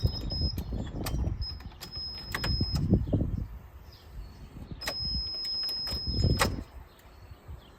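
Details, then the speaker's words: Guanci SSJ mid-engine V8 prototype, about 206 miles, first revival after 25 years stored: thin high fuel-pump hum runs a second then cuts out, repeated between clunks; pump primes then stops, cause unknown. "it builds pressure and then it dies yeah it was a few times you turn the key it just go like it's got enough to run from residual pressure in the rail but why would it not keep going"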